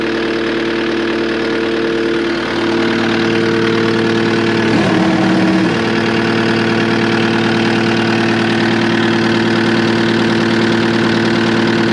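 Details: Cat 259D skid steer diesel after its 1500-hour service with a new fuel pump and filter: firm, steady clatter at a constant idle, holding even without hunting or misfire; healthy idle with no leaks.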